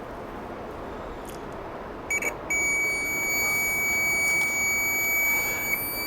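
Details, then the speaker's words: Testing a multimeter continuity buzzer via alligator clips with the board buzzer disconnected: after a couple of clicks, a clear steady high-pitched beep holds. Working buzzer. "ya sabemos Pues que está bueno porque está pitando vamos a probar aquí otro sabemos que está bueno y también podemos escuchar el tipo de sonido que emite el que traen los multímetros bien quedito que se escucha"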